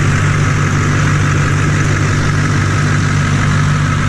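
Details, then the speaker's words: 2004 Chevy Silverado 2500 LB7 Duramax with K&N cold air intake and 4-inch MBRP straight pipe, hood up: steady low rumble and even diesel clatter at idle, no misses or knocks; healthy. "nothing like the sound of diesel guys it sounds really good especially coming around to this straight pipe very nice sounding truck lots of Power with the diesel engine"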